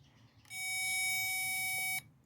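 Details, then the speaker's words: Power probe front-probing the red wire that is missing its ground: one steady high-pitched beep of about 1.5 seconds when it finds ground, used while wiggling the harness to locate a fatigued wire with intermittent contact. "it would make that noise so now it was time to just start wiggling the harness until the power probe makes that noise"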